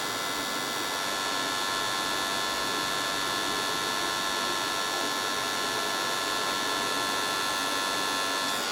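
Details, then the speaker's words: Compaq LTE/286 notebook floppy drive trying to read a 720K disk: steady hissy whir with a faint uneven pulse about four times a second, spins but struggles, sounds like a bad belt; floppy drive not working. "Yeah, that sounds like a bad belt. So our floppy drive does not work either."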